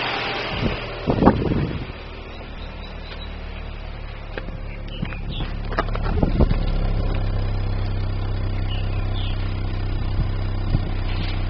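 Uneven idle with irregular low thumps and occasional stumbles, about three or four a second, typical of a misfiring cylinder.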